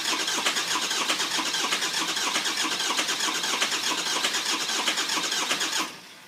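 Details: 2004 Ford F-450 6.0 Powerstroke bought non-running; had a coolant flush, two oil changes, new oil cooler and EGR delete after a leaking EGR, batteries fully charged. Cranks in even pulses nearly six seconds without catching: long crank, no start.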